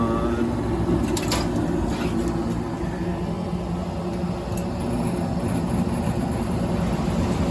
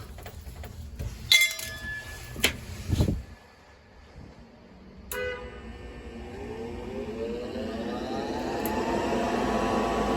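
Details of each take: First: Gas furnace with a flooded, broken humidifier, right after ignition restored: blower comes on with a heavy, uneven low rumble and rough flutter instead of a smooth whoosh; blower assembly faulty but running. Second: Lux Air gas-fired furnace, no-heat call caused by flooded, miswired panel humidifier, after disconnecting humidifier wiring: click then smooth inducer hum rising in pitch, no rattle, ignition follows; normal inducer startup.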